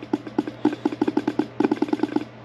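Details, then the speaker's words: 1982 Fiat 124 Spider horn, reassembled and bench-powered from a power supply: quick bursts of dull rattling buzz with no real horn note; rusted diaphragm flutters but the horn won't sound. Failed horn diaphragm. "we can hear that diaphragm moving up and down but it's not doing anything so this one's going to be a dud we saw the rust on that diaphragm it's not going to do us any good"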